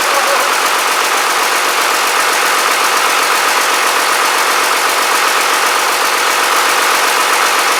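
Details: Rebuilt Cummins 12-valve diesel on its first fire-up after the rebuild, boost tube not yet connected: steady, even diesel clatter with no misses, knocks or surges, settling into a smooth, healthy idle.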